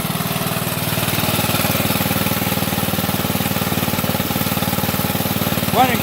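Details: Go-kart small single-cylinder engine with new carburetor and starter, after fixing chafed, rusted wiring (coil wasn't the fault): even single ticks about four a second, no misses; running normally.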